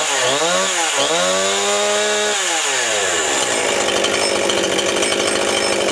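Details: Jonsered/Husqvarna chainsaw just after a fuel line replacement: started with the compression release, it revs up and down, then settles into a steady, even high buzz with no stumbling and no leaks; it runs properly.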